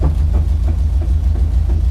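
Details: 1968 Dodge Charger rat rod on its first road drive after buildup, smoking; a heavy, deep rumble pulses fast and steady while driving, nothing above it; driveline suspected, source not confirmed.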